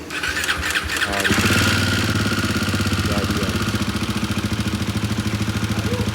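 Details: Royal Enfield Himalayan 450 at about 14,000 km, after dealer opened the head for suspected tappet/shim issue: after start-up a quick even ticking clatter over idle tracking engine speed, top-end noise still present.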